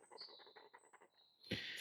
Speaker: So, what you are hearing is the internal vibration reduction system or the VR inside the lens and it's designed like that